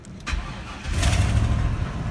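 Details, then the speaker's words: GMC pickup with nothing at the key switch: a sharp tap on the ignition switch, a short crank, then the engine catches and idles steadily; faulty ignition switch that works only when tapped. "Got nothing at the key switch. Just crank, crank, crank, crank, crank. Can you hear it cranking? Give this sumbitch a tap."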